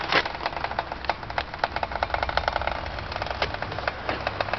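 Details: 2004 Subaru STI: irregular sharp clicks from both front wheels when pushed at ~1 mph, turning to scratching faster; present 5-6 months, vanishes after rain, louder in dry air; brakes new, hub bearings thought unlikely; cause unclear.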